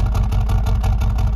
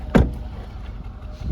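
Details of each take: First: 2021 Mercedes-AMG CLA35 4Matic 2.0 L turbo at idle: an even, lumpy burble pulsing steadily that sounds like a misfire, but no check engine light and nothing felt; it's exhaust character, not a misfire. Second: 2021 Mercedes-AMG CLA35 4matic turbo at idle: lumpy, uneven idle with irregular exhaust pulses sounding like a misfire, but no check engine light and none felt; exhaust may just make it sound that way.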